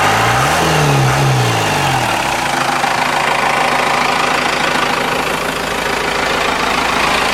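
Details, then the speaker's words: Cummins 4BT turbo diesel, about 71,000 miles, after fuel filter change and air filter wash: brief rev settling into even, steady clatter with firm regular beat, no knocks or misses; good oil pressure, normal idle. "oh yeah good oil pressure burn like a kitty"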